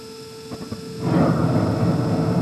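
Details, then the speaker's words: 2014 Carrier Infinity 98 natural-gas furnace, first startup of the season: original never-replaced hot surface igniter warms up over a steady variable-speed inducer hum, then a soft whoosh as the burner lights into an even roar; normal ignition. "There goes the HSI. Still the original hot surface igniter. Never been changed yet."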